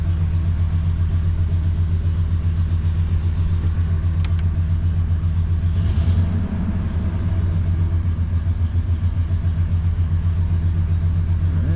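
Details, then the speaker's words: Ford 5.4 V8 truck just after engine repair, check engine light on: idles with uneven lumpy pulse and wavering speed; owner suspects air in the fuel system, not confirmed. "it's not like we're missing a spark plug it's just not quite running right probably to get all the air out of the system"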